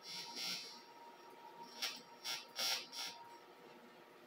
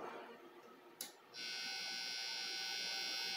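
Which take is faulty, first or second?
second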